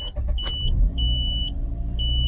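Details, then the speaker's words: 2006 Mazda RX-8 rotary with hot-start trouble (owner suspects low compression from failing apex seals), just fitted with new uprated starter motor: engine catches at once and settles into an even idle, electronic LPG-system beep repeating over it; clean, healthy start. "so fired up straight away"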